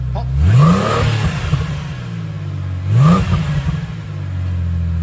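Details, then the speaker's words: Ford FG XR6 ex-police car on first start-up after fitting a new cat-back exhaust, two quick throttle blips with a deep note returning cleanly to steady idle; nice, not overly loud, healthy. "Alright, this is the first start up. It's all buttoned up, and see what it sounds like. It's got nice, not overly loud, not obnoxious."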